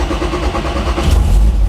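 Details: 1.8 300 hp car with limited-slip diff, battery relocated to boot, fully restored, started after battery issue: engine catches after a brief crank and settles into a strong, even low rumble with no misses or knocks; clean, healthy start.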